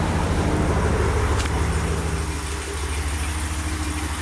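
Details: 2019 RAM 1500 that wouldn't start, running after a jump start: steady, even low idle hum with constant rhythm, no knocks or misses; engine running normally.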